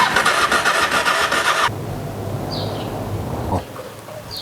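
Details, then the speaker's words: Honda XRV750 Africa Twin after 10 years stored, new gas: starter spins the engine briskly under two seconds without firing, then quits; fuel pump not getting power, later traced to a corroded fuse. "apparently the wire that goes from the fuel pump to whatever over there is just not getting power. So it's not pushing the fuel to the fuel pump, or the fuel pump is not pumping out."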